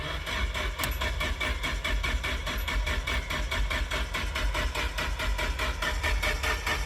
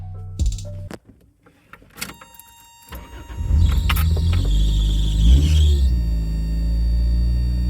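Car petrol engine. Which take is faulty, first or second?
first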